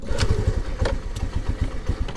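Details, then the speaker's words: 2022 Honda NAVI single-cylinder, under 300 miles, cold start just below freezing: after three minutes on choke it chugs and stumbles unevenly, choke reduced to about two-thirds; owner suspects carburetor mixture and idle issues. "so three minutes on choke at uh just below freezing weather and it doesn't like it so we're gonna go back to about uh two-thirds choke there"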